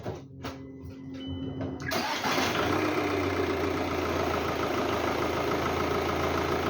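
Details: 2006 VW Golf Mk5 2.0 TDI BKD diesel, previously rough running especially cold at idle, after MAF sensor clean, cold start: short crank, quick catch, then even diesel clatter at steady idle, no misses; no engine check lights.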